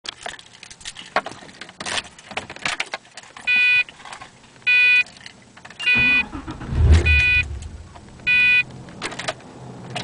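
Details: Pontiac GTO no-start: key jingle and repeated chirping chimes, then a short cranking attempt that never catches; car won't start.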